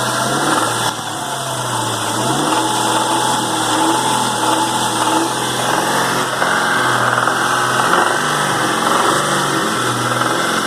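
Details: 2001 Ford Mustang Cobra 4.6 4V V8, 78,600 miles: loose, uneven knocking under the engine noise at light load as revs rise and fall to idle.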